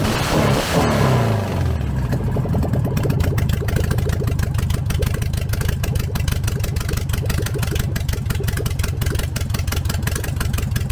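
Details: VW 1303S Beetle, rebuilt 1915cc engine, first run after timing adjustment, no exhaust fitted: cranks, catches, settles into crisp rapid even patter with clean revs and no misfires; healthy idle and revving.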